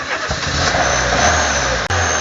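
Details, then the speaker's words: Year-2000 car with a 1.6-litre petrol engine and motorized throttle, hard to start: unstable, wavering idle with no pedal input and occasional sharp pops from the intake; a leaking intake valve is suspected, to be checked via manifold pressure. "Parfois on a des, là on les entend, des claquements au niveau de l'admission."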